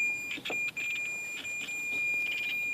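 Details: High, steady continuity-tester beep on the black-orange rear hatch power lock wire of a 1998 Jeep Cherokee XJ, tested with the battery connected: intact wire, while the other wire crackles when wiggled, showing a break.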